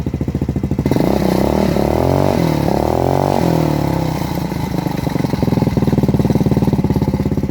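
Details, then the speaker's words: Lexmoto Gladiator 125 four-stroke single idling and blipped, before loose exhaust baffle removed: tinny rattle on each exhaust pulse; loose silencer plate probably contributing to ticking; baffle rattle suspected, not confirmed. "so here's a quick sound test as well before i've taken the baffle out i don't know if you can hear that rattle that's what it sounds like right"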